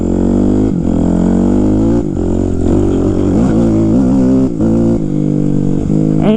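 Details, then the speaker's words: 2005 Kawasaki KX250F four-stroke, riding after carburetor adjustment that cured falling flat on its face: loud, crisp revving rising and falling cleanly with throttle, pulling hard without bogging; healthy engine. "she's ripping hard man like whenever I I first tried it to make sure the carburetor was right before I did this ride via here it fell flat on its face it was so bad but after I adjusted the carburetor it runs better"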